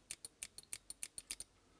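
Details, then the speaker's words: Eclipse CS3 paintball marker after solenoid maintenance, powered with eyes off: ten crisp clicks about six per second, one per trigger pull, solenoid firing cleanly. Normal solenoid operation. "if we power up and then switch the eyes off and pull the trigger you can hear that Soul noise clicking inside"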